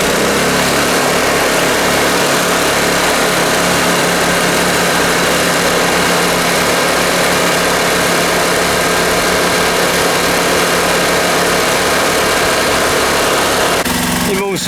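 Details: Steady, even single-cylinder drone from a Honda generator (E300/EX500/EX800) at constant speed with no knocks, misses or surging, after swapping in the old spark plug; runs smoothly and sounds healthy.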